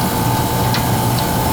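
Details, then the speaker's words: Oil burner after new tank filter, oil pump filter, nozzle, power venter motor and wiring, and bleeding: steady roar with light fan hum, pump whine gone and no longer struggling to pull oil; running normally. "Can you hear the pump line is gone now? It's not struggling to pull oil."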